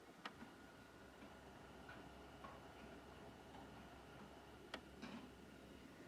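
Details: Xbox Series X console making a strange noise: quiet hum with a faint steady whine and a few irregular sharp clicks, cause unclear; abnormal clicking noise.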